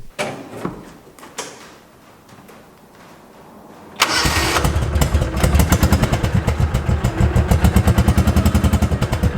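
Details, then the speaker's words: 2005 Kawasaki Mule 600 after fitting a new spark plug (old one bad, a spider web was found): catches after a few clicks and settles to an even, regular putter; misfire fixed, running good. "seems to be running good i think that did the trick"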